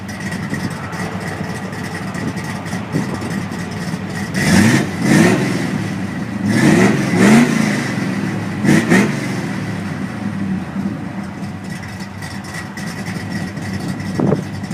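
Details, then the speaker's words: 2000 Ford Mustang 3.8 L five-speed after throttle body cleaning: starts, quick revs fall back cleanly, then an even steady idle with no hunting; previously idled rough with seat vibration and stalled at stops. "all right so we're in the car and it's running we're idling much better got a nice steady idle it's not hunting around"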